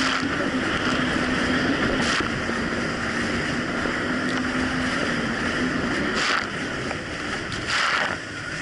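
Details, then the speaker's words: 2007 Yamaha VX Cruiser jet ski on choppy Lake Michigan after new .028-gapped spark plugs replaced mis-gapped old plugs: steady drone under heavy wind and water noise holds even revs without hunting or surging; running properly. "yesterday I took it on the river near me but honestly the Jessie's actually running a whole lot better it's not doing the surging issue"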